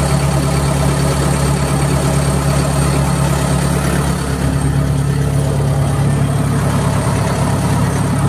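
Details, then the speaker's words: Perkins diesel idling lumpy and uneven, sagging midway, with blue/white exhaust smoke; failing electric fuel pump starving it of fuel, pump to be replaced with a 12 V unit plus voltage reducer from 24 V harness. "what happen this is what happen and starting to blow some smoke"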